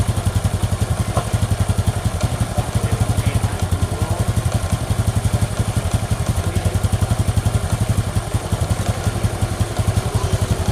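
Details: Honda Supra X 125 after engine rebuild, idle raised slightly because the new parts are still tight: even single-cylinder thump about four beats a second, steady with no rough knocking or ticking; clean idle.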